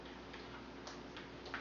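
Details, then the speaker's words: CBR 2 ultrasonic motion sensor connected to a TI-Nspire; soft, regular ticking about three times a second sounds over a quiet room: normal pinging. "you'll notice that the data quest app will launch automatically and the motion sensor green light will come on and you'll hear a clicking sound"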